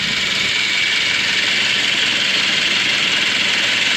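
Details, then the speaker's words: 2006 Suzuki Grand Vitara 2.0 petrol automatic, 230,000 km, after timing chain replacement: steady, even idle with light shake (no balance shafts) and smooth hum, no timing chain scraping; normal idle. "zauważyłem że na ostatnim nagraniu słabo słychać ten silnik więc dogrywka Ultra pracy niezła troszeczkę się trzęsie bo nie ma Wałków balansujących"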